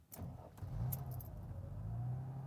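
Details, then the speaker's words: 1991 Mercedes 300TE 24V whose owner suspects the EHA valve causes trouble starting on the first try: keys rattle, a short crank, and the engine fires at once into a quiet, even idle; a clean first-try start. "okay so it started perfectly on the first try which is uh unfortunate for the video but fortunate for me"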